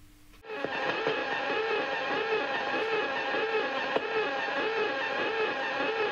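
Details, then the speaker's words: Interference around 176 kHz on an HF radio receiver: buzzing tone swelling and fading roughly twice a second in a whirring cycle. "I have never heard anything like that in my life. Is it a motor? I thought it was a treadmill."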